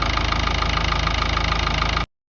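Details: Ford Ranger 3.0 Power Stroke diesel at idle; a sharp regular tick about six or seven times a second. The knock comes only sometimes, when steering at full lock or parking, then stops; its source is unknown.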